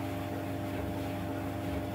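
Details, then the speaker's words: 15-year-old White Knight 37AW tumble dryer after repair of grinding noise and belt realignment; steady even low hum from turning drum with no grinding or scraping; drum runs smoothly. "in with this one so you can hear the difference but that is a lot different"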